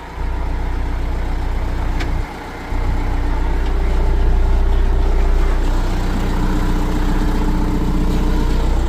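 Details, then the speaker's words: 1997 John Deere 310E four-wheel-drive backhoe, diesel, started with a little throttle: catches almost at once, then settles into even steady low idle knock about three beats a second; fires right up, healthy. "Give her a little throttle. Hit that key. Fires right up."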